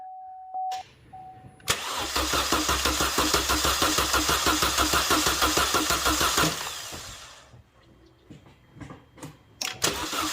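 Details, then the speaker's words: Chevy Cruze 1.4L after serpentine belt, alternator, AC pump, tensioner, water pump pulley and valve cover installed, fuel pump not buzzing: strong even starter cranking about three beats a second without firing; healthy crank, no start, to prime oil. "all right guys that one cranked nice that's what we want no start but crank"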